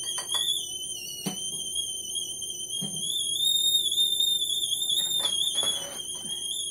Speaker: And my water is boiling because I hear it whistling.